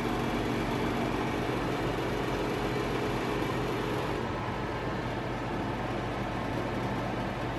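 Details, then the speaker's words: Montlake 300 fireplace blower fan: steady whoosh with metallic buzzing vibration from one side only. Pressing down on it makes the rattle disappear, and it returns on release. Fan alignment was tried without success. The buzz fades and dulls partway through. "that's the way i'm expecting to hear just a fan but i don't i hear metal vibration so it's only this side"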